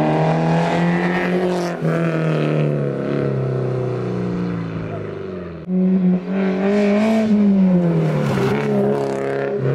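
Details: Toyota MR2 ZZW30 1ZZ engine, repaired after rod bearing trouble, with homemade TIG-welded stainless exhaust and switchable silencer valve: clean rising and falling exhaust note through several revs, strong, no knocking; healthy.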